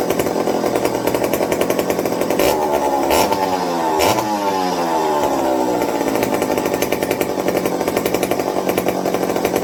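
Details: McCulloch 55 gear-drive chainsaw after a Scotch-Brite pad tank wick and a 090 carburetor swap to fix fuel starvation: a strong, even two-stroke buzz that revs up, drops back and settles smoothly without stumbling; running well.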